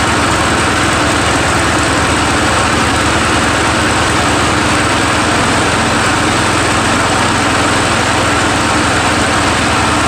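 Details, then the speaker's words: Murray 17.5hp riding mower with 42-inch deck after new Stens 265-031 deck belt and deck install, gas leaking at the side: steady smooth firing drone, no misses, knocks or belt squeal; PTO clutch slightly sticky, mows well, normal running. "all right a little sticky there on the pto clutch so other than that you know hey it's uh it mows well now noise i think it's a win-win"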